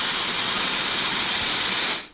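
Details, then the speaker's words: Known-good hair dryer recorded with a sound probe on a LOTO A02 oscilloscope: even, steady airy rush with no rattle or pitch wobble before cutting off; the motor ramps from low to high speed gradually, running normally. "良品它的电机那个声音转速是从低逐渐会拉到高的，有一个升速的过程。"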